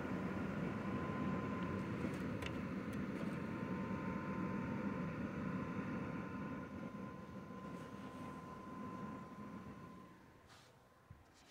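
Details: Zotac RTX 4090 graphics card fans set to 50%, card around 56°C, recorded on phone mic that picks up room noise; steady airy whoosh with faint even hum, no rattle or ticking, normal fan noise.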